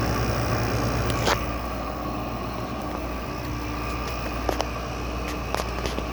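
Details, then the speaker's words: LG/Goldstar WG5004 window air conditioner compressor at start-up after sitting: low, uneven hum with a rougher buzz in the first second, then a steadier drone as pressure builds; owner suspects a lubrication issue. "Doesn't sound nice at first, it'll sound nicer later on. when it builds pressure. Yeah, I think it's got a lubrication issue."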